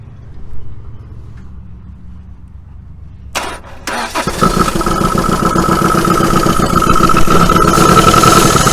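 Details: 1980 Dodge Colt Challenger (Mitsubishi Galant Lambda), sat 15–20 years, float bowl hand-filled: short crank, then fast, uneven run with faint whistle; oil pressure gauge showed none (or gauge faulty), bad-smelling emissions; cause unknown.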